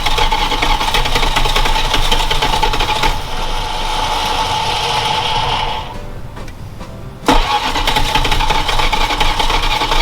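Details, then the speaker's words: Former parts truck on its first start attempt after fitting carburetor and distributor, fuel dumped in: long uneven cranking with brief catches that never take; cranks but won't start, with spark and vacuum leaks (too much air) suspected but unconfirmed. "See if this thing will at least bust off a little bit before we get any further. She's trying. She's thirsty."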